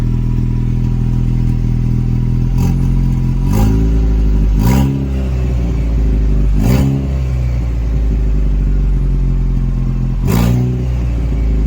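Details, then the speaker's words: 2.0 EcoBoost Ford Ranger just restarted after a new high-pressure fuel pump, no downpipe, O2 sensors unplugged, no coolant. Loud, raw, unmuffled steady rumble with several quick throttle blips. It runs smoothly and decently after earlier breaking up briefly. "Seems like it's running decent otherwise. Once I get that downpipe on there, I will be able to hear what's actually going on."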